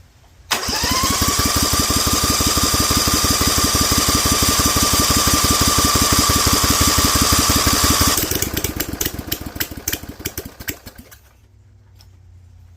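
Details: Rebuilt Vanguard 16HP with a 23HP carb, started cold on choke at 100% humidity, with a spring linking choke to throttle and an open air filter and header: catches at once, runs fast and uneven with a loud hiss, then dies after about ten seconds.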